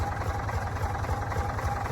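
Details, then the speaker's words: Previously seized Ford 4000 tractor diesel, running after being freed: steady idle with heavy regular low thump and notable clatter; unsure if normal for a Ford 4000 — noisy engine. "Um, it is a little bit noisy."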